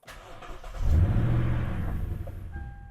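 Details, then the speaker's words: 2013 Lexus LS 460 with new spark plugs, run rough and smoking, quarter tank of fuel, started after a dead battery: cranks, catches and flares briefly, then sags unevenly and dies within two seconds; sounds like an exhaust leak or severe misfire, owner suspects spark or injectors. "so it always dies the first time when the battery's dead it almost sounds like an exhaust Lake to misfire so bad"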